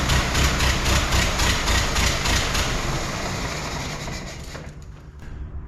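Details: 1914 Ford Model T, hard-starting, rear wheel jacked for cranking, ignition and compression under investigation: old four-cylinder chuffs with an uneven, loping beat about four pulses a second, one cylinder dropping out from low compression.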